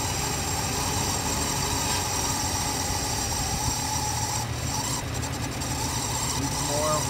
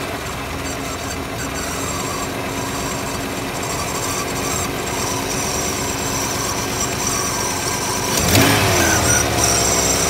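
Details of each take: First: Ford Mustang 5-litre small-block V8, first start after sitting 10–15 years on old fuel that made it ping: steady, even low rumble holding an unchanging idle without stumbles or misses; normal idle. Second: Mustang engine first start after sitting 10 or 15 years on old, bad-smelling gas; it fires right up and idles with a busy, uneven rattle, pinging from the stale fuel.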